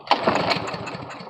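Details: Briggs & Stratton 5.5 hp lawn mower that won't start, air filter removed, fresh gas tried before carburetor cleaning: engine catches with a few quick ragged pops then fades out within a second; won't keep running, likely a fuel problem.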